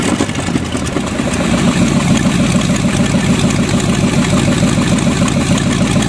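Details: Freshly bought used Chevy 350 small-block V8 on an engine stand, running much better: deep even rumble settling into steady idle, no misses, firing on all eight; smokes a little.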